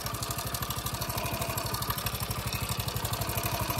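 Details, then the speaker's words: Prider 100 (CD100-type) motorcycle engine idling: light, fast metallic timing chain (T-chain) rattle over the steady thump, before timing chain replacement. "अगर इसी तरह की T चैन की आवाज़ आना शुरू हो जाए तो आपने कैसे चेंज करनी है टी चैन को।"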